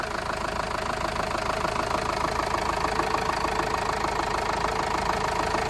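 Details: Diesel horsebox that lacked power climbing hills, mid-service with no engine lights on: morning idle with an even clatter of about three beats a second, no stumbles or misfires. Normal diesel idle.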